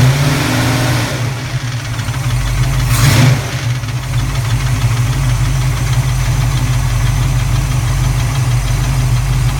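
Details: Cold start of a recently rebuilt 331 V8, passenger side: quick light clatter over the idle, owner unsure if valve clatter or piston slap; goes away at operating temperature, then a loose-belt-type squeal from the rear; good power and oil pressure.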